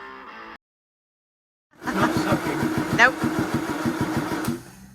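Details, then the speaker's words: Land Rover Series engine that still won't start after fuel and spark checks cranks at about three turns a second with an uneven chuffing pulse and never fires; it is blowing out through the carb instead of sucking in. "So unfortunately, it looks like it's blowing out the carb, not sucking in."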